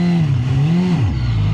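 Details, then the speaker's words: Suzuki GSX-R1000 K1 sportbike, 28,700 on the clock, on MOT day: engine note climbs and wavers then sags while throttle held, revs flaring without pulling; owner suspects clutch slipping, possibly clutch adjustment after disturbing the left-side pin, or clutch plates. "clutch something wrong with a clutch there it's not engaging right"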